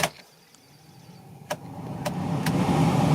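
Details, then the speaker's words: Blower fan in the cabin of a 2004 Renault Twingo 1, after disassembly and repair of a noisy fan at full ventilation: switch clicks, then a smooth steady hum with no rattle or squeal; normal blower operation. "Donc là ça fait plus de bruit donc c'est nickel."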